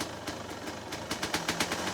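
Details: 2003 Suzuki RM 250 two-stroke, stock, completely cold start on choke with throttle cable removed: sharp ragged pops, slow and uneven at first then quicker and stronger; catches cleanly; normal cold start.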